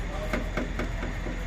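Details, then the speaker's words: 2022 Ford Maverick Hybrid, engine running, underneath the vehicle: sharp metallic taps about four per second over a quiet engine hum; exhaust heat shield protecting a connector taps the underbody, stops when pulled aside, needs relocating. "it sits there and taps the bottom of the, so you pull it back out of the way, it's gone. Put it back up there where they have it, protecting that connector. It's back to tapping the bottom of the vehicle."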